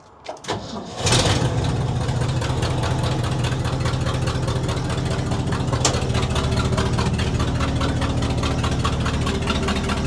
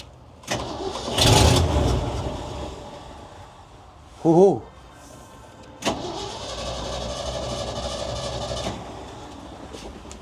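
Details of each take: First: 1967 Ford/Seagrave fire truck, gravity-fed from an auxiliary tank to the carburetor: short crank, catches within about a second, settles into a steady, slightly lumpy low idle; engine starts and keeps running. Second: 1967 Ford/Seagrave fire truck bought at auction as running but not running: with starter fluid sprayed into the air cleaner it catches, runs roughly briefly and dies; suspected bad gas or no fuel delivery.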